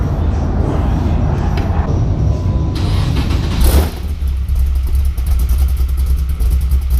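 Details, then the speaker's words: Cammed V8 reportedly bored to 7 liters, on an E67 computer, allegedly dynoed around 660 hp, straight pipes with no converters or muffler, just after startup: deep, loud, choppy lopey rumble; typical cammed engine, normal idle. "So it sounds like a typical cammed engine."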